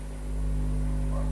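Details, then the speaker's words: Modified amplifier with 5-ampere transformer driving 16 output transistors (4 pairs per channel): deep steady mains hum swells and holds when bass is raised; transformer too small for load. "Tapi permasalahannya kalau kita menggunakan trafo kecil, nah di bagian bass, di saat kita angkat di bagian bass, maka dia akan menimbulkan suara dengung."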